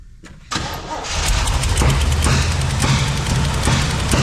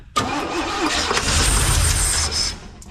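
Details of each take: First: Abandoned 1971 Chevy K-20 350 V8 after 15 years sitting, vacuum ports plugged, given starter fluid: runs lumpy with irregular sharp exhaust pops and uneven beat; owner suspects a burnt valve; misfire and backfire. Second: Abandoned 1971 Chevy K-20 V8 after 15 years sitting, just after ignition timing was backed off: catches at once and runs about two seconds with a firm, even burble before dropping away; brief healthy start.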